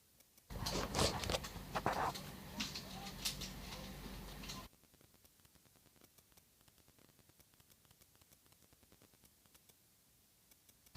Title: 008 Motor makes grinding noise. Turn up volume!